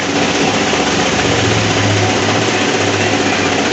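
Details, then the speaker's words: Mercedes Smart, running with the A/C switched on: loud rough whirring roar with low hum from the front; suspected broken A/C condenser electric cooling fan rather than compressor. "Hola gente acá estamos con un Smart y hace un ruido bastante extraño motorcito está acá atrás cuando prendés el aire PR el aire ahí í empieza hace un ruido viene acá en"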